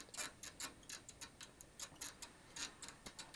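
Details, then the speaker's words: Driveshaft on workbench: quick high squeaky chirps about four a second from a u-joint, same squeak as in the car; seal gone, needle bearings dry and rusted, replaced. "That's what it was doing in the car, but it was going eka, eka, eka, but there's the squeak noise. So as I pull this off, as you see, the seal has come off, and see all the rust."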